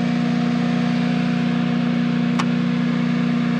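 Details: Generac home standby generator previously faulting with over-crank code 1502 and RPM sense loss, now running under load after transfer at 242 V and 60 Hz: a steady, even hum with no misses or surges, healthy.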